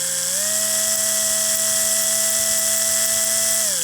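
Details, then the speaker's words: AHM GP18 model locomotive, old and uncleaned, run on bench power from a power pack: steady high electric whine that steps up in pitch and holds, then drops, with a faint buzz. Small vibration in the motor and flywheel collars; cause unknown, possibly age. "now there's a small vibration if you can see it there's a small vibration in the uh flywheel collars here and there's a little bit of a vibration in the motor"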